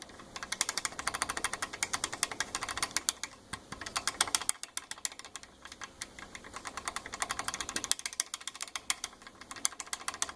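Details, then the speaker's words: Worn original rear sway bar end link (heim joint) on a Corvette, rattled by hand: quick, light metallic clicks about eight a second, in bursts; the joint is loose and worn out even though it looks okay. "I don't know if you could hear me when I was rattling that um the worn out link so"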